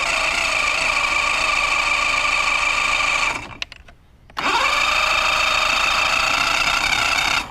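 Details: Mercury Classic 50hp outboard, just fitted with stator, trigger and new power pack, plugs in: starter whirs steadily, pauses, spins again but never fires. Cranks without starting; owner suspects it needs a carb job.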